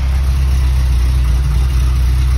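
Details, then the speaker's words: Porsche 924 Turbo at idle after repairing an exhaust hole, replacing motor mounts and rebuilding the wastegate, first start after five months; slightly lumpy, deep even exhaust drone with no puffing or ticking, exhaust sealed and healthy. "she's a little lumpy after five months but uh the exhaust sounds good"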